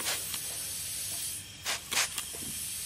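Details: Intake pressurised with compressed air from a compressor, leak at a tee fitting shown by air bubbles: sharp hissing bursts of escaping air; boost leak at a fitting.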